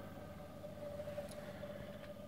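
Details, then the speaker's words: Small induction motor on open-loop control with no speed feedback, speed set by a potentiometer from SLA batteries: steady mid-pitch electric hum that wavers and steps unevenly, running very rough as speed rises. "as I move the pot it steps faster and faster it runs very rough"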